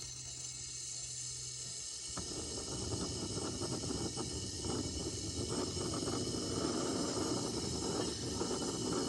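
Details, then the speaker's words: Repaired 1952 Coleman 252 pressure lantern on a size 21 mantle, probably too small: soft hiss suddenly becomes a rough, fluttering roar that keeps building. Unusually long fireballing. "Never had one fireball this long. That fuel is really hissing through there, though."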